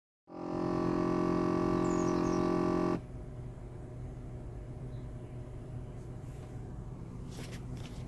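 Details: VW Passat with a large EVAP leak and a parking brake warning light; a strong steady buzzy drone from the right side lasts about three seconds, then drops to a quieter hum; source unknown.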